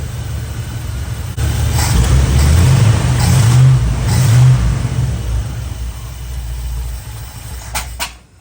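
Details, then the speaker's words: Chevy square-body barn-find V8 with a 650 Edelbrock carburetor that is loading up, running; deep burble picks up cleanly with each blip and settles back smoothly, no knocks or misfires; normal running. "Okay. Needs a little bit of work, needs a little love, but it sounds good. It's a good sounding engine."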